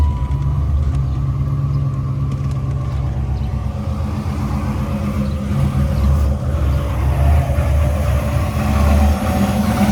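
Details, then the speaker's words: Chevy Impala/Caprice that had run out of gas, started after adding 2 gallons: the engine catches quickly and settles into a steady low rumble with no stumbling or knocking. A clean start and idle. "I just put 2 gallons in here. That should be enough. Fire right up."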